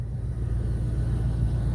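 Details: 1994 Dodge Dakota 5.2 L V8 idling smoothly with steady low rumble, no knocks or misses, after working on the bad PCM/ECM that caused cold no-starts with endlessly clicking relays and a delayed fuel pump.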